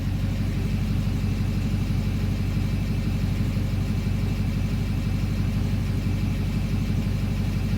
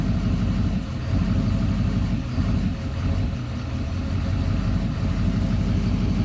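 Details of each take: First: 2009 Duramax diesel that idles rough only in drive, here in park: steady, even low rumble at idle with a regular beat about twice a second, no misfire or stumble; idle smooths out in park. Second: 2009 Duramax diesel idling in drive: diesel clatter with an uneven, lumpy beat and slight sags every couple of seconds; rough idle only in drive, smoothing out in park.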